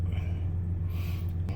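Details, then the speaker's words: 1999 GMC Sierra, about 102,000 miles, no engine light, before preventive injector and distributor upgrade: deep, steady low rumble at 800 rpm with no stumble or miss; normal idle. "We got a steady idle right at 800 like it's supposed to be. Sounds good."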